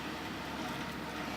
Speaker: un ruido como un poco fuerte los ventiladores y esto se debe al exceso de polvo de suciedad que tiene tanto el disipador de el case como el disipador de la fuente